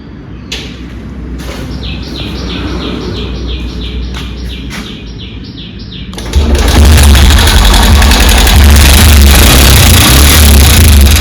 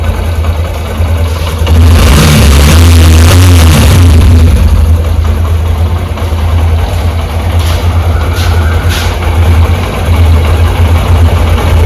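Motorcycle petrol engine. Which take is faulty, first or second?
first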